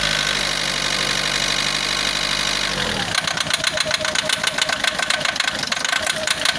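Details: Diesel common-rail engine dropping to idle: rapid hard metallic clatter on every firing stroke; heavy diesel knock, suspected failing diesel sensor, not confirmed.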